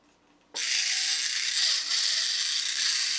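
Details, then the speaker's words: 2003 TTT reproduction of 1950s Radar Robot tin toy, previously jammed motor refitted and run on a battery pack outside the body: starts with a bang then steady high buzzing whir of small gears and motor, even and unjammed, normal. "all right that is running and it actually doesn't sound tooo bad uh for this design"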